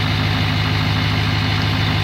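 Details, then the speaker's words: 2017 Chevy Silverado 2500HD Duramax diesel at idle, first start-up after installing a Banks Ram Air intake: steady, even diesel clatter with no irregular knocks and just slightly more intake grumble than before; otherwise it sounds the same and healthy. "everything nice and secure does sound like it has just a tiny tiny bit more intake grumble to it but otherwise it really sounds the same"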